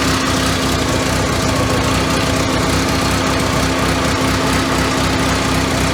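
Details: 1985 Merkur XR4Ti restarted after reassembling the upper intake, AC belt off, cooling fan now coming on; steady but lumpy, uneven rough idle with constant hum, no knocking, and white smoke, likely burning coolant after the cylinder was filled with coolant.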